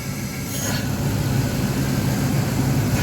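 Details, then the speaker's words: 1997 Dodge B3500 V8 at idle: steady idle with faint airy hissing and sucking as air is drawn into the crankcase, which should hold pressure, not vacuum; crankcase vacuum leak from leaking intake gaskets, linked to brake fade. "so not only do you hear air coming through the crank case that's it's not supposed to be like this it's not supposed to be that significant is supposed to have pressure"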